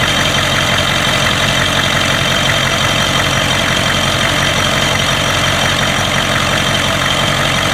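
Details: 1992 Ford 7.3 IDI diesel idling rough with an uneven stumble and a sharp knock about three times per second. The random misfire comes with intermittent blowby. Teardown found the second ring broken in half on two pistons and one bad valve guide.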